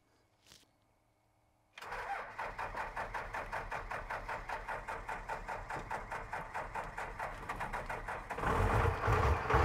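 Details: 1978 Ford F250 body on a 1997 Dodge 3500 12-valve diesel, six-speed (possibly NV4500), electric lift pump, sat for years: after long silence fires at once, settles into steady even diesel clatter about two and a half beats a second; normal cold start.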